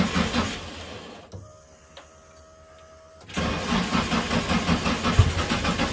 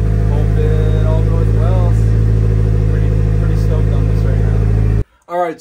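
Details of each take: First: Nissan 240SX being revived for its first start: steady starter cranking at about three compressions a second for roughly eight seconds, but the engine never fires or catches. Crank, no start. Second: Steady, smooth idle without knocks or misses from a Nissan 240SX on its first start after revival; it ran iffy at first but idled perfectly once warmed up.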